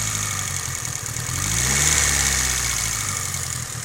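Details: Mitsubishi Evo 8 at warm idle: light, fast, fairly even tick at roughly three and a half per second; suspected lifter tick, unconfirmed.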